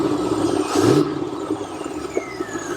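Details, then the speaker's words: Imported Japanese 90s Corvette C5 Convertible V8 with aftermarket air filter, started after being left unregistered: steady, even idle with a quick rev blip, no misses, knocks or stumbles; seems to run on all eight, oil pressure about halfway up the gauge. "let's just start it and running on all eight sounds like it does it feel like"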